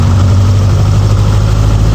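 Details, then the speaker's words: Light aircraft pre-flight magneto check at about 1,700 rpm: loud, steady low drone with no misses or roughness, small rpm drop on each magneto; healthy run-up. "So I get it about 1700 RPM. And you can hear it drops on one, drops on the other."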